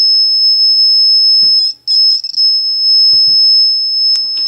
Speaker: it will beep when something breaks the beam you bring it back a little bit and it starts going off again